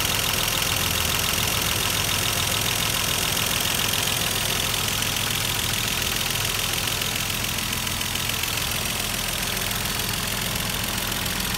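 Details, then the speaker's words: Mercedes-Benz W124 boxer engine first start after cylinder head refit and timing chain install: rough idle with fast light ticking, about three to four a second, because hydraulic lifters not yet filled with oil; fades as they fill. "Setelah beberapa saat kemudian, mesin yang tadinya terdengar kasar perlahan-lahan mulai terdengar berkurang. Itu dikarenakan adjusternya sudah mulai terisi dengan oli."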